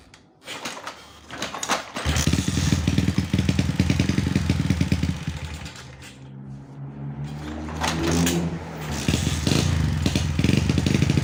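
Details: Sonic motorcycle that wouldn't start (no spark) after owner fiddled with wiring; after reconnecting ignition coil wiring and fitting spark plug, starter cranks briefly, engine catches, revs a little and settles into a steady, even idle, running properly.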